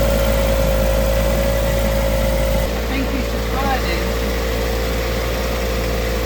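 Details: Ford Fiesta ST150 with a newly fitted replacement engine, warmed to temperature with the radiator fan kicked in and air bled from the cooling system: smooth, regular idle, even low thrum, no ticks or stumbles, slight level shift midway. Normal idle.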